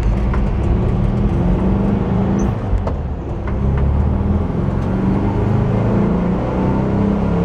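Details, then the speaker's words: VW bus after gear reduction box bearing repair (noise traced to particulates from a failed transmission), road test on highway: steady low drone, even road rumble, slight rumble in turns, no whine or grinding; normal drivetrain running. "before nice and quiet you throw it into the turn you hear it Rumble a little bit more and you pre-load the bearings heing quiet now though think race the Porsche nice and quiet now"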